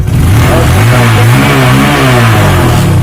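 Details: Honda Verza 150 fuel-injected motorcycle running with a healthy battery fitted during a battery-drain diagnosis; steady even engine note with slight rise and fall in speed, no misses or knocks; running normally.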